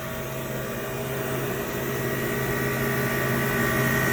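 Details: Walk-in freezer condensing unit in cold December weather after refrigerant was added for a leak: steady even compressor hum with smooth fan whir, no knocks or rattles, running normally.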